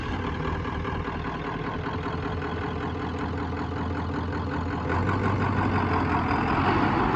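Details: 1994½ Ford Power Stroke diesel ranch truck, just back from shop work with new flatbed, rear tank leaking: steady diesel clatter at an even idle with no misses or knocks; running smoothly.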